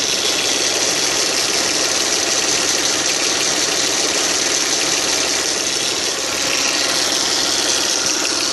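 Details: Audi A6 C5 2.4, 1999, idling: light, uneven ticking knock about two to three per second under a hissy top end; source of the engine knock unclear.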